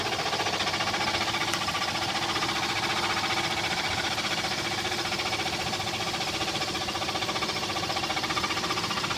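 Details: Toyota Tacoma engine at idle: steady, even tapping knock at about four beats a second over a thin idle; source not identified.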